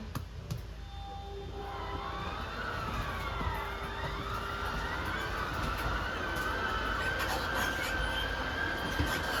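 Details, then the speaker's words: 2022 Wildwood 28VBXL RV auto-squaring slide-out extending: steady motor whine rises and settles, motors whine a couple of times squaring up then shut off; smooth, no grinding, normal slide-out operation. "This is an auto squaring slide, so once it's out all the way, you'll just kind of hear the motors whine a couple of times. They'll square themselves up and then they'll turn themselves off."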